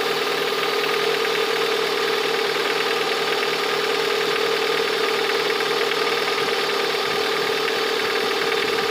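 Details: Lada 21126 engine at steady idle with a light repeating knock over a hard, constant drone, heard most clearly near the end of the recording; the owner asks what the sound is, origin unknown.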